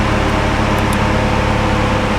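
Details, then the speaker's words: Mk3 Audi TTS salvage car started with no coolant in the system: steady loud whooshing roar of the radiator fans cutting in at full speed over a low engine hum. "as you can hear the fans now cut in because there's no cool and it's not happy"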